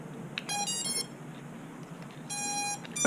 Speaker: Okay, so we got lights, we got full tone, so that's a good thing. Full tone means that there is definitely power getting to the motors, to the ESCs, and to the flight controller.